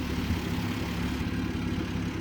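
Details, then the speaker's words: 1967 Jeep Gladiator, about 6,000 original miles, first run after 30+ years dormant with new fuel system and coated tank: steady even idle, quiet valve train, good oil pressure, not overheating; normal idle. "Sounds pretty healthy though. Valve train is quiet, has good oil pressure. It's not overheating or even trying to overheat one bit."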